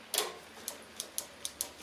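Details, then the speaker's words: Suzuki GSX-R 600 SRAD during restoration, new levers fitted: crisp light clicks, about seven in two seconds, as the lever moves; the brake light switch is working normally. "as a little bonus you can hear that switch clicking for the brake light from the previous video"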